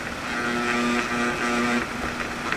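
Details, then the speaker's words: Old window fan motor that had overheated (coils got hot, bearings possibly cooked, assembly possibly heat-warped), powered with top bearing installed: steady electrical buzz, no spin-up; trying to spin but bearings misaligned, coils confirmed good. Stalled motor hum. "it is trying to spin, but the bearings are not aligned. So at least we now know the coils are good."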